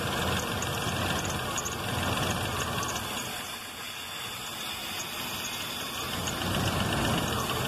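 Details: 1995 Jeep Grand Cherokee 5.2 with cut, crushed wiring harness after relay/fuse box swap; just started after a no-start, wets spark plugs. Idle rises and sags slowly over seconds, vacuum varying: hunting idle, harness replacement needed.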